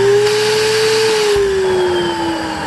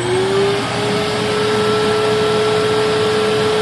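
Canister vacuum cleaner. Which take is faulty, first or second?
second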